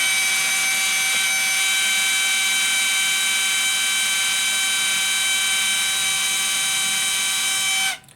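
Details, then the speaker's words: HP 1005 printer, cover opened: loud constant high-pitched whine for eight seconds then cuts off while printer keeps initialising continuously; laser scanner motor noise. "इस तरह की आवाज आती है और यह क्या है? कंटिन्यू इंसलाइज करता रहता है। यह रुकता भी नहीं है।"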